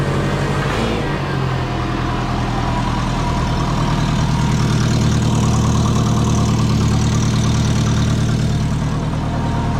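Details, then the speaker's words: Twin-turbo low-mount Subaru after tightening manifold nuts: steady idle with a fast uneven puffing tick over the exhaust note; leak persists, now suspected from the 50 mm wastegate, to be removed and inspected; unconfirmed. "but yeah definitely sounds like it's leaking from that wastegate once that's fixed it should be seen so much quicker boost"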